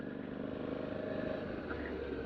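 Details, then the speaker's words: Suzuki DL650 motorcycle riding after a new chain and sprockets were fitted at the 20,000 interval: steady engine note, drive chain now quiet with no whine or slap, unlike the noisy old chain and sprockets. "Man, the last chain and sprockets I had, They were so noisy, and you can't hear the drive at all now. It's incredible."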